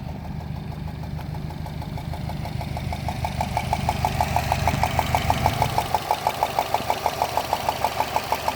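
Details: 2013 Subaru Impreza WRX at idle: a loud, regular tick about three times a second, like a golf ball sliding inside the engine, located near the turbo; source not yet found.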